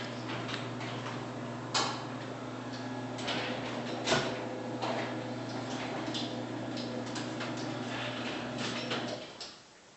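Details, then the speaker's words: Garage door opener hums steadily while the door closes, with irregular clacks, ticks and scraping bursts over it; an abnormal closing noise of unknown cause. "this has to do with this door right here it's making a weird noise as it closes"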